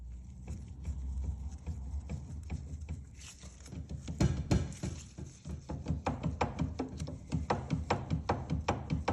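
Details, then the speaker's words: Yamaha YBR 125, flywheel refitted and rocked by hand, bronze particles found in the bottom of the engine: dull irregular clunks, two or three a second, from a lot of crankshaft movement. "You can definitely hear that, and I'd be very surprised if you can't see that. There's a lot of movement on this crank."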